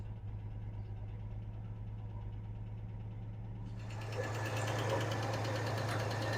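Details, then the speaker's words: 1986 Chevy S-10 V6, long stored, oil pressure over 70 psi: rough idle with a regular clatter about three times a second in sync with a misfire; owner suspects a rocker arm fell off, not confirmed. "the misfire and that noise seemed to be oddly in sync sounds like a rocker I fell off makes sense"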